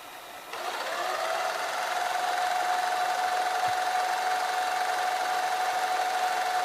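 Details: GoVideo GV-6010/6100/6150 dual-deck VCR, deck two fast-forward/rewind: steady high whirring tone with light mechanical chatter as the tape winds; deck two's fast-wind mechanism sounds noisy and strained, worse than deck one.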